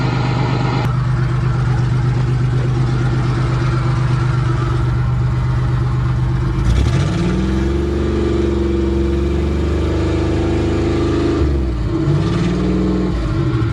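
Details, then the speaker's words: Van running after hydrolock repair, with water dumped out through the removed intake manifold: steady, even idle for several seconds, then smooth revs rising and settling with no knock or miss; healthy running engine. "oh she wants to live yes it's alive it's alive"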